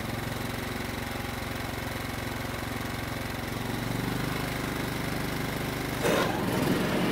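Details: John Deere riding mower single-cylinder engine after carburetor work; previously died when taken out of choke. Now runs in run position and idles with a steady, even beat, no misses or surging: problem fixed.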